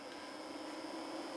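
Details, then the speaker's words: Small cooling fan added to a pre-amp, run on 9 volts: even, low airy hum with a faint steady tone and slight hollowness, no rattle or wobble, no louder than an amplifier; fan runs smoothly with good airflow. "goes the 9 volt seems to be a perfect speed it's not extremely loud no louder than any amplifier you can hear the hollowness in it"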